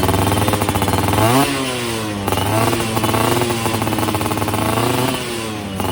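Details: Yamaha F1ZR two-stroke after a major service and porting for daily use; carburettor setting, lean before, now right; standard 14/38 gearing. Revs cleanly up and down, pulling smoothly to high rpm without stumbling. Normal running at high rpm.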